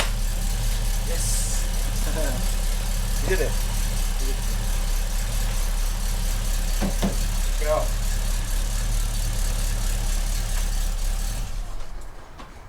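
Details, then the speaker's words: Classic Rover P5B V8, first start of 2020 in the garage after a six-month rest: steady low idle with an even beat, no knocks or misses, settling smoothly before shutdown with no drama. Normal, healthy idle. "So that's the first startup of the year, done and dusted. No drama, unfortunately for you, but fortunately for me."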